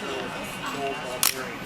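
One crisp, quick shutter snap with a clean release in a quiet room; the shutter fires normally at a sixtieth.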